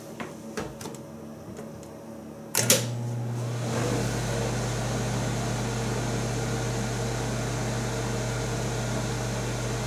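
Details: Vintage 1975 Amana Radarange RR-6W microwave heating a bowl of water: door clunks shut, then a steady deep hum with fan rush at full power, drawing about 1500 watts; operating normally.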